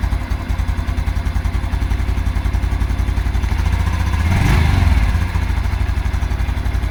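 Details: 2022 Honda Super Cub at idle, hot or cold: light rhythmic knock that smooths out with a throttle blip and returns as revs settle; owner suspects clutch plate area, nothing feels loose, unconfirmed.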